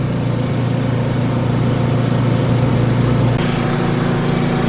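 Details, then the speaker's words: Honda 2200 W generator carrying a Dometic 15k RV AC with Softstart, compressor running at about 1580 VA: a steady, even drone with a slight settle, holding speed under heavy load. Running normally. "the generator is on and there goes the big kick up so now the compressor is running up here"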